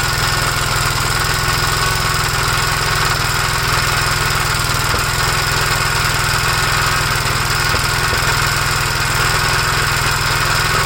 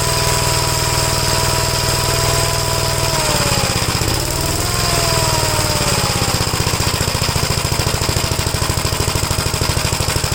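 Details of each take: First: 1956 Gravely L single-cylinder tractor with the carburetor from a 1957 LI fitted, choked at start. Runs with an uneven, loping beat about three per second instead of a steady idle. Carb proven good; owner suspects over-revving from the governor damaged the head gasket or something else. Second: 1957 Gravely single-cylinder tractor running carburetor just adjusted: steady thumping, brief dip then even beat, runs clean and healthy; carburetors were never the problem.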